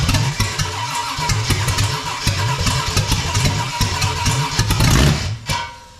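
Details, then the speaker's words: Freshly built 454 big-block Chevy for a 1972 Camaro on its first start attempt. It cranks unevenly with ragged bursts and nearly fires with throttle pumped, then dies. The builders suspect the distributor/timing is one tooth off; not confirmed. "Ooh. It's trying. It almost lit right there. Give it more throttle."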